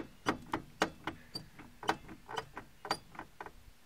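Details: Front passenger wheel of a car jacked just off the ground, rocked by hand: sharp metallic clicks and clunks about twice a second from a worn wheel bearing with lots of play; car was grinding while driving.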